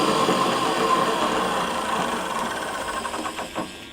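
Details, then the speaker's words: Electric pallet fork truck after repair, with the electromagnetic brake/clutch now engaging: driving in reverse through first, second and third speeds. Smooth, steady motor whine fades evenly with no grinding or knocking, so the drive and clutch work normally. "В целом работает, сцепление тоже работает."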